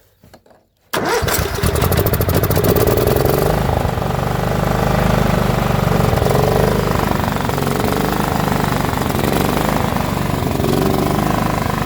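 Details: John Deere L110 lawn tractor that sat 3 years: after a second of cranking it catches and settles into a steady, even run with no misses or knocks; fuel supply restored.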